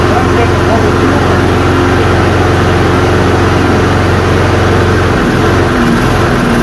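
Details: Toro Recycler self-propelled push mower, 190cc single-cylinder (labelled 7 hp), runs at a steady, even pace for about five seconds before the note changes near the end; choke keeps kicking off, carburettor side holes suspected clogged.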